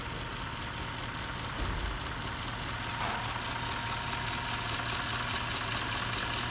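A petrol V8 idles steadily and evenly, with a soft constant hiss and no stumbling or misfire beat.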